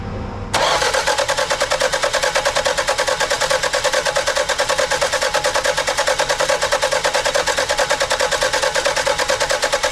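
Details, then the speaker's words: 1991 Toyota Celica, no-run after a timing belt job, timing believed slightly off; distributor advanced, then cranked: steady starter cranking with even compression pulses, engine catches briefly but won't run; plug wires to be rotated again. "almost started shut it off we're going to rotate these plug wires again see if we can't get it to start cuz it almost started"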